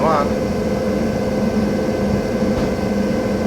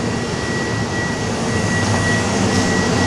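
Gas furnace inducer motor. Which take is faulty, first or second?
second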